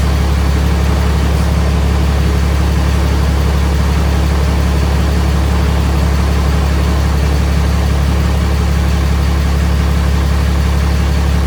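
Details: Freshly swapped 6.7 Cummins diesel in 2nd-gen Mega Cab, first fire after two cranking tries: deep, even idle with regular low thrum about 2.5 beats a second, no knocks; running really smooth.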